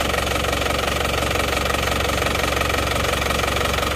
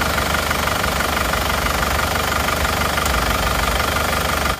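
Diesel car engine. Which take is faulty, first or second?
second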